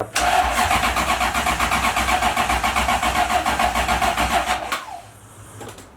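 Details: 1UZ-FE V8 swapped Mazda RX-7 FC, hard to start, after new coolant temperature sensor: starter cranks steadily nearly four turns a second for about five seconds, never catches; fuel pump loses power while cranking.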